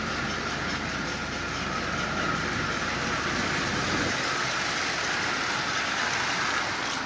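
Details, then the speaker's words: Marx 999 toy locomotive bought as junk for $8, missing front and rear trucks and lens, likely unrun for 40–50 years, now repaired: steady even whirring and rattling, running forward and reverse smoothly with no hesitation; normal running. "running forward and reverse just absolutely perfectly. As you can see, this thing's running really, really well."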